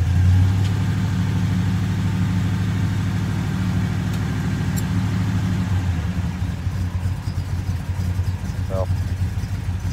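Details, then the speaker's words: 1977 Chevy C10 with a broken rocker arm and pushrod, started with the rocker removed: low idle with an uneven, loping beat and a dead cylinder in the rhythm; misfire from the missing rocker arm. "running not very smooth but I think it'll be enough to get us back the eight miles to the shop"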